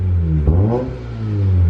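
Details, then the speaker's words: 2009 Mazda RX8 R3 with new cheap eBay exhaust and resonated midpipe: short rev rises and falls cleanly with no rattle around 1500 rpm; the previous whole-car rattle was fixed by new motor mounts. "the moment of truth will a small rev create the rattle noise yes it's gone oh my goodness the motor mount solved it"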